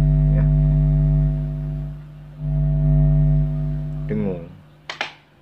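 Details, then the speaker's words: Amplifier at full volume with nothing connected (no CD or mixer) gives a loud, steady low mains hum picked up through a thin, poorly shielded input cable; the hum disappears with a homemade mic-cable jack. "Kita lihat suara dengungannya. Tuh, denger kan? Kencang sekali kan? Ini dengung kayak gini kan enggak enak ya kalau buat musik kan."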